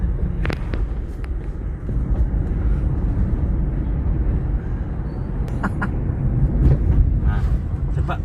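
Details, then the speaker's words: Mercedes-Benz W211 driven over bad road: sharp irregular metallic taps with bumps over road rumble, front right corner; no noise when braking; suspected loose brake pad rattling in caliper, not a ball joint or tie rod; unconfirmed. "Nah, jadi kampas rem itu kan ada tempatnya jadi dia kocak naik turun atau pas kena dron jalan gitu dia mengakibatkan bunyian yang jelas ini bukan bunyi gol join ataupun bunyi klutuk-kelutuk terod ya teman-teman semuanya ini kayak kampas rem ck treng teng teng teng teng gitu"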